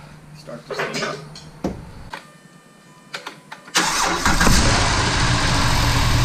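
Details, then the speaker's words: 2010 Jeep Wrangler Unlimited JK, first start after replacing the driver's side exhaust manifold: a few clicks and short cranking, then a smooth, even idle with no exhaust ticking as smoke burns off the new manifold. "Oh, sounds good. Lots of smoke coming off that new shiny thing."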